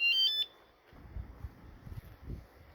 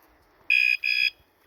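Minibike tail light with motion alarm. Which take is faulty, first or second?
second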